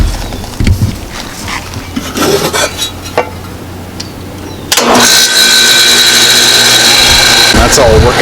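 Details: Old home A/C condenser switched back on: a few clicks, then the unit kicks on with a steady, even hum and fan rush; normal running.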